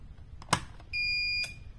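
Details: Repaired Bob Beck protocol magnetic pulser (230 V mains, resoldered power board) switched on: a click, then one clean high beep lasting about half a second; fan and LED come on and the unit powers up normally.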